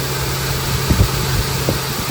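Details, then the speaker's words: Honda Pilot cold start at 58 degrees after replacing the weak timing belt tensioner that caused a morning cold-start rattle: steady, even petrol idle with low hum and no rattle. "I don't hear any rattle sound first thing in the [Music] morning yep that's the nice [Music] sound okay fin off that's a nice sounding engine"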